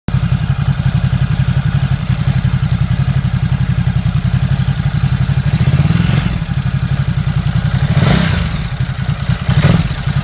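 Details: Ducati Supersport: dense, rapid clatter over a steady low exhaust beat through several blips; owner asks whether it's normal, and the source is unclear.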